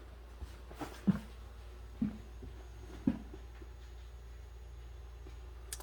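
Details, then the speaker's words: 2006 Ford F-250 6.0 diesel with code P0404 from a carbon-stuck EGR valve, key on with engine off, quiet cab: sharp single clicks about once a second. This is the normal self-test cycling of the injectors and solenoids. "kion engine off electrical self-test let's try that i don't know if it'll do it if it'll test the egr during the kion engine off self test might set a fault code for the ac because the ac may be on you can hear it testing all the in solenoids and injectors"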